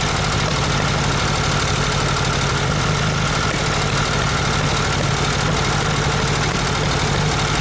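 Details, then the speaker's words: VW Super Beetle Volksrod air-cooled flat-four at its first cold start: lumpy, stumbling idle, not running on all cylinders, no rod knock heard. Misfire; owner unsure whether ignition or one carburetor side, plans timing and spark plug checks. "definitely not running right on all cylinders not sure yet if it's ignition or if it's one side of the carburetor not doing what it's supposed to do so we definitely got a misfire there was a troubled cylinder on the first try"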